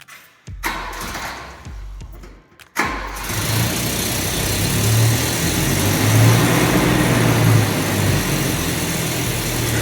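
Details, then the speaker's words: Volvo 245 wagon after a new exhaust install: cranks, fires and settles to a steady idle with a faint puffing tick about three times a second from one remaining small exhaust leak where the pipe is misaligned; needs welding. "as you can hear there's definitely one spot that's still a little bit leaky sadly the pipe's a little bit wonky right there so it's gonna have to get welded up"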